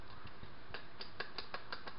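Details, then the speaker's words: 2001 Honda Civic drive axle removed, loose axle worked by hand: sharp dry clicks about five or six a second from the worn CV joint, cause of the problem; axle replaced. "know if you can hear that or not but that would be the cause of this issue among other things"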